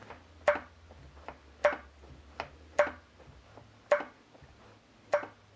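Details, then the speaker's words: Homemade high-pressure hydraulic check valve on grease-gun pump reaching about 1,700 PSI, piston bottomed out in cylinder: sharp evenly spaced clicks about one a second per pump stroke; valve seating and holding pressure normally. "there we go we're bottomed out on the piston in the cylinder oh that's working great"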